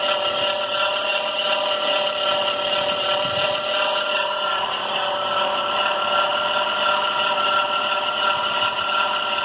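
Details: 2005 Dodge Caravan at idle: steady high-pitched squealing whine from the serpentine belt; baby powder on the belt has not fixed it so far, shiny side always showing.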